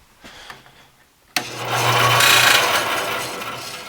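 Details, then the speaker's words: Busy Bee B324 bandsaw after installing new 6202ZZ bearings in motor and wheels, blade tension adjusted: motor starts into harsh hissing rasp with scraping over hum; blade dragging on guide bearing, motor also noisy. "Well, that didn't sound very good. That's our bearings mostly. Yeah, it's dragging on that guide bearing."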